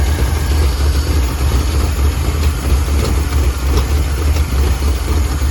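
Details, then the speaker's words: 1949 Ford Shoebox engine, running rough and smoking; deep, lumpy rumble with an irregular beat and uneven pulses; rough running. "running Rock got it I got it smoking right now but it's running rough"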